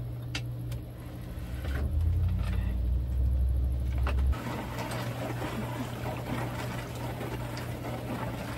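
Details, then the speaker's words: HAVA R01 countertop dishwasher, tank filled, during a roughly ten-minute wash: low steady pump hum with water sloshing, a brief louder surge, then quiet even running before draining; normal wash cycle. "halfway through the cycle we're probably back down to like nine minutes and I heard the water draining out of the dishwasher"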